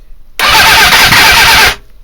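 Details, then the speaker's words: GSX-R 400 cranked with a slightly open throttle: about 1.5 s of starter whirr that never fires. The spark was strobed at roughly 6° BTDC with the CDI box fitted. The owner suspects the ignition timing or the trigger, unconfirmed, and is considering a different box or trigger. "open the throttle a bit it's trying but it's not at all"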